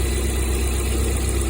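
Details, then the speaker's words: Lada Priora after repair, fault traced to the gas (LPG) system wiring, gas disconnected from the ECU and injector wired directly, good pulse on tester: steady, even, low idle with no misses, knocks or hunting; normal idle. "Газды айырып тастағаннан кейін көлік әдемі жүретін болады."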